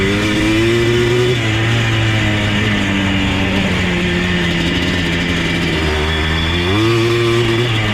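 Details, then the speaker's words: Yamaha Blaster 200 two-stroke ATV, abandoned, fresh gas: crisp buzzy idle with slight rev wander, no misfire or knock; normal idle, though it cuts out above mid throttle under load in second gear. "Idles like a champ."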